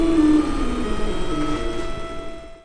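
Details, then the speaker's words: Ortur Laser Master 2 Pro stepper motors on basic square-wave drivers, not the silent type: clear buzzy, R2D2-like tones that slide in pitch as the head moves. Normal stepping noise; the motors work fine. "Yeah I had kind of forgotten what square wave stepping sounds like, but luckily I do remember again. And I kind of thought we moved past that time in history where all stepper motors sounded like R2D2s, but I guess that's not the case."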